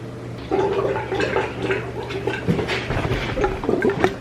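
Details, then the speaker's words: 1997 Yamaha VMAX 500 snowmobile, abandoned for years, coolant drained and refilled, owner suspects head gasket: irregular gurgles and bubbling pops as trapped air burps out, coolant up to the neck, bubbles squeezed out via hose. "listen to that burping you hear that so we got cooling right up to the neck right there and I I squeezed a couple more bubbles out just by squeezing the hose so that worked pretty good"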